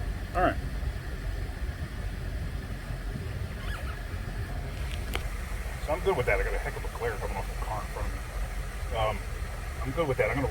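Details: Normal idle after replacing a faulty throttle body that caused a stubborn check engine light: low, steady engine hum with no misses, knocks or stumbles under faint voices; no codes, runs great.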